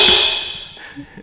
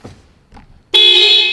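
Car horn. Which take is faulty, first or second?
first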